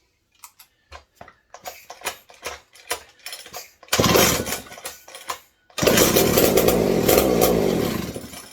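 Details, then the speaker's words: McCulloch 740 chainsaw, no exhaust fitted, good compression, fed via primer bulb: loud two-stroke runs ragged with an occasional dropped beat, about one lost spark in twenty; owner suspects intermittent ignition, heavy smoke. "Still sounds kind of ignition related though. It's not consistent. That was kind of what was happening. We were getting spark, we'd lose one, but we'd get like 20 good ones, lose one."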